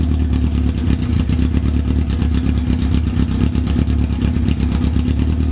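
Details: 1994 Yamaha FZR600 four-cylinder that sat for 15+ years, running with no choke after revs were hanging when revved: even, steady idle with a crisp exhaust pulse and no stumbles or misses; idles cleanly.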